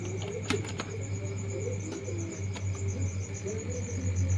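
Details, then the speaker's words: LG slim CRT TV, B+ supply 105-107 V in standby drops to about 75 V at start; deflection yoke vibrates with a steady low 100 Hz buzz, faint high whistle and light ticks while the horizontal output transistor heats up. "Ini saya coba ya, dengarkan teman-teman ya. Di defleksi yuknya ada getaran ya."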